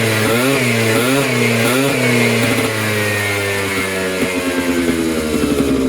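Crisp two-stroke buzz rising and falling with quick throttle blips, then settling to a steady idle with no knocking or misfire.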